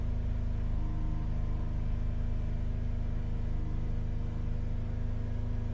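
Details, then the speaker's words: Holden Captiva Chevy V6 towed in cranking but not starting, power balance test held steady around 2500 rpm: deep uneven thumping, rpm drops when cylinders 5 and 3 are disabled; three cylinders dead, heavy misfire. "so number five dropped off number six dropped off a little bit let's see what number three does number three I suspect this one's going to drop off massively as well see that drop off an RPM immediately"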